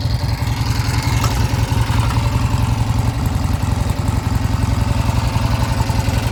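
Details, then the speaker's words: 1971 Triumph T120 650cc twin after pilot jet work and mixture adjustment: steady, even idle beat of about four pulses a second, no stumbles or knocks; runs like a top, cured of earlier left-cylinder misfire. "Thing runs like a top. Honest to goodness."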